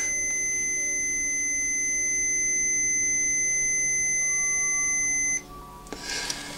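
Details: 1975 BMW R75/6 airhead boxer, ~140,000 miles, after new points and re-adjustment, static timing check: steady high buzzer tone holds about five seconds, cuts off cleanly as points open on the mark; timing correct.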